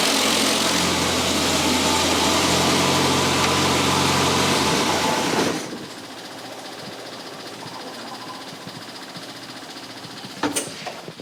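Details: 1962 Austin-Healey Sprite four-cylinder after 10+ years' storage, after engine teardown fixing a bottom-end knock: smooth regular idle for several seconds with no bottom-end knock; sounds healthy.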